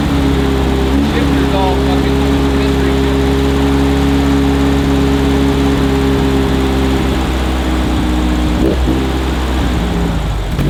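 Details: 1968 VW Beetle carburetted air-cooled flat-four, just started after priming. Uneven, hunting idle beat with occasional stumbles. Owner says the carburetor needs tons of adjustment; engine smoking. Rough idle.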